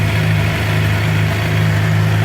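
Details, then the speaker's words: Suzuki GSX-R 750 idling steady and even, no knock or tap, after fixing a bad knocking noise from under the stator cover caused by a stator cover screw nearly backed out; warming up, oil filter not changed. "alright so she's sounding pretty good definitely fix the problem just let a warm up a little"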